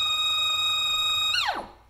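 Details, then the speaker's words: NEMA 24 5 A stepper on a CL57Y closed-loop driver lying on the bench, pushed to 2600 rpm at 2600 in/min, beyond its capability. Steady high whine then suddenly drops in pitch as it stalls; alignment marks no longer line up, losing steps. "see our marks don't line up anymore we are losing steps I was getting really weird so that's what happens when you push a motor step of beyond its capabilities"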